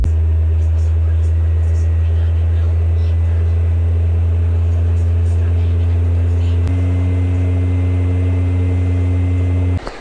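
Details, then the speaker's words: PlayStation 4 fat console fan droning loud and steady shortly after power-on; owner reports it gets noisy and shuts off 5–10 minutes into games; fan somewhat dirty, needs cleaning service. "chicos todavía no se apaga pero como está el ventilador es lo que da ya es señ que hay que hacerle un serv"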